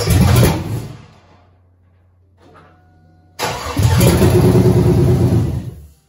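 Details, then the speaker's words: Rebuilt Cadillac Escalade LQ9 6.0 V8 with ported 862 heads, 10.5:1 compression, LS6 cam, first fire with no cooling, 50 psi oil pressure: cranks, catches, runs rough and lumpy; one bank's plug wires unplugged, firing on four cylinders. "completely by accident but let me tell you how amazing these ls engines are look at this one whole bank not even plugged in to the plugs look at that you fired on four cylinders"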